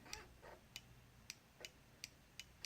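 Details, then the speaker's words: 2016 Ducati Diavel with its brake light stuck on, investigated after disconnecting another part made no difference: crisp light clicks roughly every third of a second as the front brake micro switch actuates, though it could still be shorted or locked on. "So at that point I decided to investigate the front of the bike, and whilst I could hear the micro switch"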